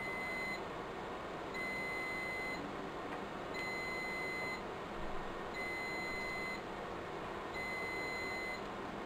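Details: Riello DVD 2200 2U UPS, 96 V battery pack, during battery replacement: high beep about one second on, one second off, thirty times a minute, over room hum; battery fault alarm, batteries need replacing.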